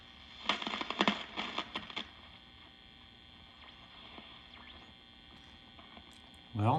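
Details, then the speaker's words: 1952 Wards Airline AM tube radio with a new 12V6 tube fitted: steady low mains hum, faint crackles and a brief oscillator squeal, no station heard; silver mica disease in the IF transformer not yet repaired. "I can still hear squealing sounds coming from the oscillator."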